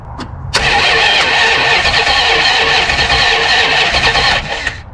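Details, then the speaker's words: 1974 Plymouth Satellite Sebring Plus off the road about 20 years, starter jumped directly from battery lead to bypass relay: strong, even whir for about four seconds without dragging or clicking; starter and cable good, normal cranking. "I'm going to touch these two together and our starter should spin over and that would tell us that the wire going down to the starter is good and it would tell us that the starter itself is good"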